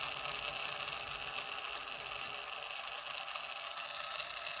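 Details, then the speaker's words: 2016 Lenovo ThinkPad T460s, original built-in speakers deteriorated: thin, hissy, crackling output with no bass as the rotted surrounds let the cones buzz; distorted speakers from disintegrated surrounds. "so the only problem is the speakers are dead they're really crackly have I listened to these terrible speakers you hear how bad that sounds super crackly very"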